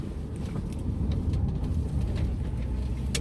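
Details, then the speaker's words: 2021 Lada Granta FL, 3500 km, driving in low gear on a rough road, windows closed: steady low rumble, light purr, judged the ordinary running sound of the gearbox, not a fault. "ну вот это какое-то легкое урчание я не знаю это голый твой это неисправность коробки обычный звук рабочий на работающий коробки"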